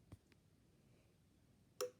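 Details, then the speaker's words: Sylvania RoadLED street light with automatic photocell, recorded close up in a quiet room: two faint ticks, then a crisp click as the photocell relay switches the light over; normal. "you can hear the clicking sound to the photocell makes a click I'll hold you close to it I'm pretty sure you could hear that"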